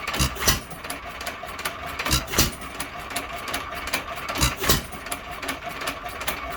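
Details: Unmarked hit-and-miss engine, owner guesses a 1.5 hp Hercules, first runs in many years; after cleaning and a softer ball-governor spring it runs slower: sharp firing bangs, often paired, every couple of seconds with steady clicking while coasting; normal hit-and-miss running.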